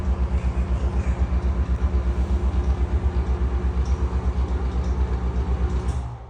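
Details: Grinding NuTone exhaust fan, 2010 or 2011, with very bad bearings: low rough drone pulsing about four times a second with a gritty undertone. Exhaust fan bearing grinding.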